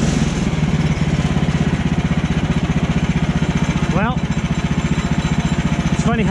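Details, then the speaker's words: Woodland Mills HM130 portable bandsaw mill with 14hp Kohler engine cutting frozen red pine logs at -26°C: steady thumping engine drone while cutting, then a sudden sharp chirping twang as the band blade snaps at full speed mid-cut. "I'm pretty sure you guys heard that that's what it sounds like on the blade snaps"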